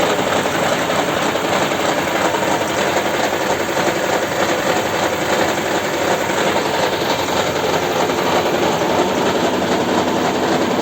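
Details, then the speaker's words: Toyota Camry 50 hybrid petrol engine idling cold: busy uneven rattle with an intermittent stumble; scan shows misfires on cylinder 2; cause unclear. "Мы немножко замешательстве она то троит то не троит Вот как сейчас смотрели пропуски на втором цилиндре есть"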